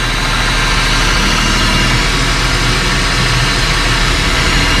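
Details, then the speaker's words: 2005 Ford Territory Ghia after a major service with 7 L of fresh oil; earlier low-oil noise and broken-bearing vibration gone: smooth, constant idle hum with no vibration, rattle or grinding; healthy, quiet idle. "Start it up. See how it go. See how quiet it is. Now you can't hear nothing at all. No more vibration from that broken bearing effect to the engine now."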